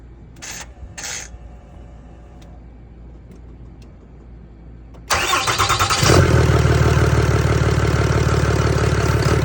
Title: 2013-2018 6.7 Cummins rough idle. Faulty Fuel rail pressure sensor #mechanic #cummins